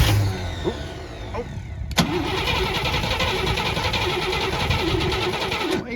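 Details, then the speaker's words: Abandoned 1961 Cadillac revived after sitting, fuel poured down the carburetor: starter grinds about two seconds before catching into a rough, uneven idle with a little smoke; more choke suggested; hard starting, cause unconfirmed. "be like that more choke usually solves that problem [Music] sounds like it was parked yesterday a little bit of smoke but i think it's just stuff burning off"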